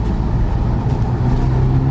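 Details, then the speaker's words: Audi 8V S3 driving with the sunroof closed, after the two-screw rattle fix: only steady low road and engine hum, with no ticking or buzzing from the roof; normal quiet cabin, no rattle. "So we're going to close that bad boy now and yeah, we're going to see. So far so good. It would have rattled already."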